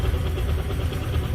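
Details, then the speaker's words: Bajaj Platina after setting very loose rocker clearances that caused a tick-tick sound, timing chain found fine: steady, even low idle thump with no ticking on top; valvetrain quiet and healthy. "गाड़ी बिल्कुल ओके है, timing chain ठीक थी, खाली इसके रोकर जो होते हैं ना, वो रोकर ढीले पड़े हुए थे बहुत ज़्यादा।"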